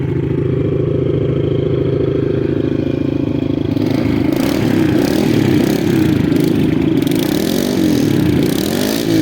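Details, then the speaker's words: Kawasaki KLX110 with stock carb, cold start, choke on, compared with TTR110: small single revs cleanly, instant crisp throttle response, no bog. "so yeah KLX is right there you can hear it it's crisp it is immediate"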